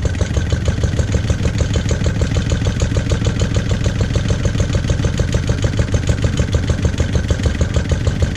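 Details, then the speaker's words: Lister D petrol engine, first start after 20+ years and restoration: slow thumping about 200 per minute, slightly irregular rhythm, somewhat jumpy; owner suspects timing and carb settings need adjusting. "it's quite jumpy that probably requires a bit of timing adjustment and and play around with the carb settings and everything else"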